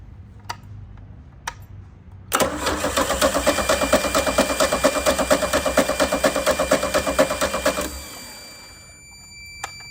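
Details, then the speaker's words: 1987 MerCruiser 3.0 inboard boat engine cranking about two turns a second for five seconds without catching; crank no start, no spark because the ignition points are frosty with white corrosion. "No spark. Well, that's why it's not sparking. The points are frosty."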